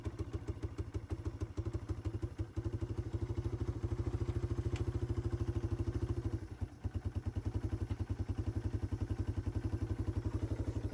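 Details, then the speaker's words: 1995 Yamaha Timberwolf 250 ATV, first start after its sat-for-years carb was cleaned, rebuilt and reinstalled: it idles, but single-cylinder thumping pops and stumbles at quarter to half throttle. It seems still a little rich, and the fuel mixture screw may need adjusting. "Okay, so we did get it to idle, but as you can tell, that kind of quarter to half throttle, it does still kind of sound poppy. Sounds like it may still be running a little rich."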